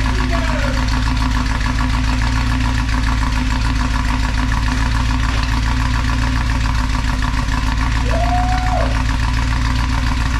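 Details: 1964 Buick Electra 225 V8, fire-damaged, just started after revival: loud, deep, uneven chuff and rasp pulsing with each firing at idle; holes in the charred exhaust leaking badly.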